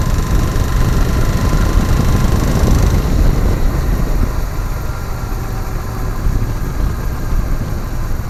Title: Africa Twin, Knocking Sound